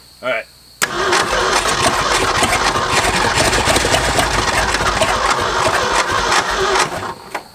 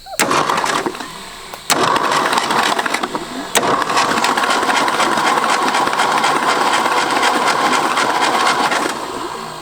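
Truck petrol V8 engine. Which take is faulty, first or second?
first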